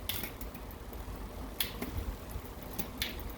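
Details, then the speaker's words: 24-inch bike rebuild with new 7-speed chain, rear derailleur cable tension adjusted via barrel adjuster: quiet freewheel whir with a crisp single click as each gear engages in one shift. Normal indexed shifting. "so just one click up and i made the jump we're going to test the next gear same thing it's good to go"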